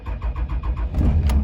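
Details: 5.9 Cummins diesel truck after fuel controller actuator replacement, about 22 degrees and unstarted for over two weeks, after wait-to-start light: about five cranking beats, then fires promptly into a steady low rumble; normal cold start.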